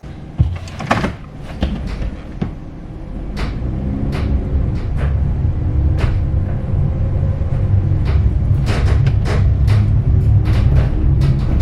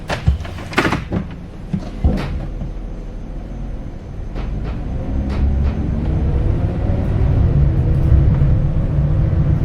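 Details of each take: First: Empty bare-metal 2018 Ram Promaster 2500 cargo van before sound deadening, recorded by a front-mounted microphone while driving at various speeds over bumps and construction: loud clunks and rattles over a hollow, echoing road drone; body rattle and cabin echo. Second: 2018 Ram ProMaster 2500 high roof van interior, second test drive around 25-40 after Kilmat sound deadening on the rear and both doors: steady low rumble with a few knocks, treble and mids reduced versus before.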